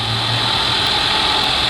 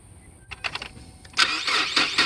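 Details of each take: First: 2018 Ford Explorer, under 30,000 miles, after tapping the starter with a rod to get it to crank: engine runs at a steady even idle with no misses; no-start was not the battery. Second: 2018 Ford Explorer under 30,000 miles that intermittently won't crank: brief churning crank, catches within a couple of seconds and settles to steady idle after tapping the starter; intermittent starter dead spot.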